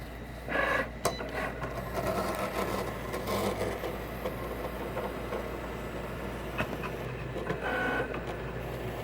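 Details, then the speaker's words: Cricut Explore Air 2 cutting: over low motor hum, rough rasping scrapes come in bursts as carriage moves; crunchy scratching noise, cause not yet identified. "it's that noise, that crunch, whatever noise, that scratching noise."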